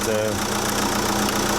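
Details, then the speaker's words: Chausson motorhome engine idling with a steady, even low drone, no knocks or misses, left running after a jump start from a flat engine battery, jump leads being disconnected; battery drain suspected. Normal idle. "Right, I'll disconnect the jump leads and take it back to leak. Leave the engine running for a bit."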